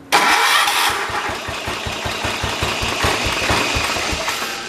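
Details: John Deere 212 lawn tractor that wouldn't start or run unless choked, after tightening a loose carburetor: engine cranks, catches quickly and settles into an even, steady single-cylinder idle with no misses; running normally.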